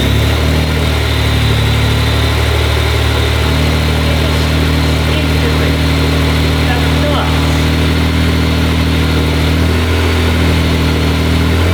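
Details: Honda NSX with fully built engine and supercharger, aftermarket exhaust, on startup tune, warming up with rpm held at 2,000: deep steady exhaust burble with faint supercharger whine on top; smooth and healthy.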